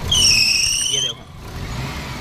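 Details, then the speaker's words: Maruti Omni revved with the headlights switched on, loading the alternator: a sharp, high squeal for about a second over a quiet idle, then it cuts out; a slipping fan belt, common in winter, silent with the lights off. "अब जैसे alternator के ऊपर load पड़ेगा जैसे मैं light on करता हूं देखो ये यह लाइट ऑन अब देखो"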